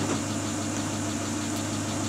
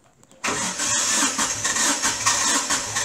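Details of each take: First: Great Wall Hover H3 after head gasket replacement for a blown gasket (antifreeze in cylinder 4), warm at 86°C, no errors: even, settled idle hum with no misses, knocks or hunting; idles smoothly. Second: Great Wall Hover H3 with blown head gasket, antifreeze in cylinder 4 and oil system, strong burnt-coolant smell: engine catches and settles into an uneven, lumpy run with a hissy top end.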